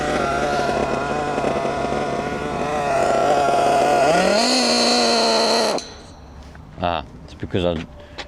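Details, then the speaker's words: HPI Savage GT6 F4.6 nitro engine after the low-end needle was richened to cure sluggishness. It burbles at low revs, picks up only slightly, then cuts out. It is sluggish because the low-end needle is now too rich. "richened up that low end needle, didn't I? Trying to get the TIG over to sort out. I richened that low end up. That's now too much."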